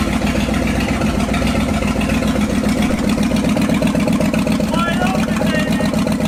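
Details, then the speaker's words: Ford F250 truck sitting 26 years, first start after carburetor work: rough, loping V8 stumbling about three pulses a second, hard starting and blowing black smoke; owner suspects carburetor keeps feeding gas and floods the engine, float level and needle and seat to check. "I've noticed after we turn it off I don't know if it's still doing it but it's just don't being gas into the engine which is why it's having such a hard time starting and just blowing black smoke because it's totally flooded out"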